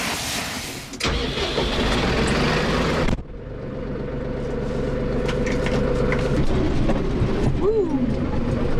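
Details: Massey Ferguson 4610 tractor with Sisu diesel, after an engine repair for a bad EGR cooler leak that let antifreeze reach a rod bearing (new bearings fitted): cranks briefly, catches cleanly, runs steady and even at full revs, no knocks; healthy.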